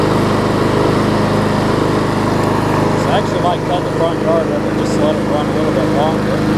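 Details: John Deere JS35 mower after flywheel key and replacement carburetor, converted from auto choke to primer bulb: small single-cylinder engine settles into a steady, even run with no misses or surging; normal running.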